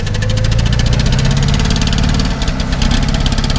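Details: VAZ 2121 with Solex carburettor, complaints of very high fuel consumption, hard starting and frequent spark plug replacement: deep uneven idle with a lumpy, knocking beat and a stumble near the end; carburettor overflowing fuel, cause unclear.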